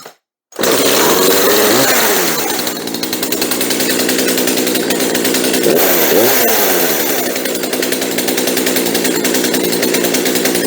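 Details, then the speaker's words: Chainsaw after fuel line replacement, started on full choke after priming: catches and settles into a steady, even buzz with a slightly fast idle; runs well, idle to be turned down a touch. "okay that sounded pretty good so we're going to turn the idle down just a touch but other than that we're done"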